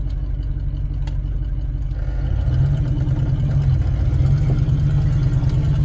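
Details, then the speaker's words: Used pickup truck with a noisy, unidentified cause, sounding like a semi: deep, loud rumble with a coarse low throb at idle, rising slightly partway through; engine or exhaust noise, cause not determined. "It sounds like a semi."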